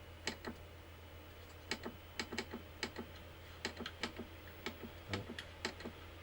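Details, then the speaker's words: PlayStation 1 (SCPH-9002) reassembled with its old drive: irregular sharp clicks and ticks, a few per second, over faint steady hum; disc drive still seeking loudly, owner suspects a power issue. "That still sounds like garbage, doesn't it? Right. Interesting. I wonder if there's a power issue. Yeah, so it's still a bit loud."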